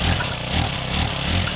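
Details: Honda FG110 tiller/cultivator found in trash, just primed and started on second pull with choke opened: steady, even single-cylinder chug with regular beat, no misses; normal idle.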